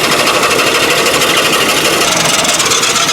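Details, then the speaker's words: 1955 Nash Custom Rambler engine running on its own after priming, water pump needing tightening and turning slowly: harsh metallic rasping pulsing unevenly once or twice a second; the second belt pulley looks bright and is suspected to be rubbing on the cross brace or something stuck there. "That noise is just something rubbing. I gotta figure out what it is though."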